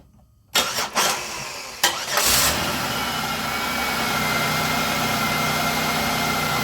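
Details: Engine after repair of tampered wiring rubbing the belt, restarted: quick crank catches first try and settles into smooth steady idle with no misses; normal start and idle.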